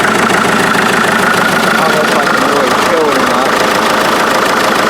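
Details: Rebuilt 1947 Farmall MD tractor idling outside just after start-up; injection pump seals, fuel filters, lines and water jacket gaskets redone, some work still pending. Rough, busy clatter at a steady idle, uneven but continuous; running again.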